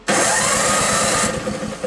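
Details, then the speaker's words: Toro 524 snowblower after installing an electric starter, with the engine switched off: starter whirs up strongly, spins the engine about a second and coasts down smoothly without tripping the breaker; starter works properly. "It's not throwing the breaker, spinning the engine over."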